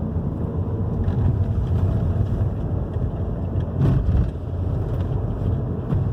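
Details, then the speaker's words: 2011 Hyundai i30 2.0 gasoline on a road test over the same irregular street after the stabilizer bar bushings and both links were replaced: steady low road rumble with no clunks or knocks; the earlier knocking is gone. "Eh, já viram o comportamento do carro já mudou, ó, já parou o barulho, tá? Vocês verem uma simples beleta e bucha da barra estabilizador, o barulho forte que dá, né?"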